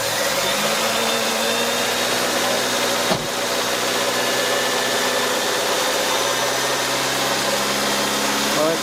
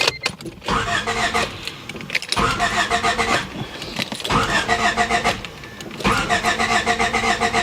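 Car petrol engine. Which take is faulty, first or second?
second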